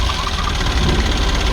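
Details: Kia Bongo diesel with electronic pump that wouldn't start, after the repair: loud, steady diesel clatter with even low rumble and no misses or odd knocks; idling normally.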